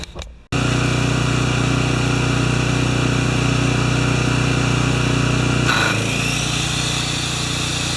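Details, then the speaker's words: Makita G2400R generator with a non-OEM carb: steady, even hum; a saw starts and the engine settles slightly deeper without hunting. About 5.7 A with no load and about 13 A when the saw's trigger is squeezed; healthy under load. "all right so it was around 5.7 amps running without a load that's pretty cool to it was a little higher than I thought but it did draw right around pardon me it did draw right around 13 amps when I squeeze the trigger"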